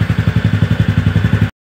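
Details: TVS Ntorq scooter after repair of loud noise from inside the engine: even idle thump of about seven to eight pulses a second, regular, no rattle or knock, before shutoff; healthy idle.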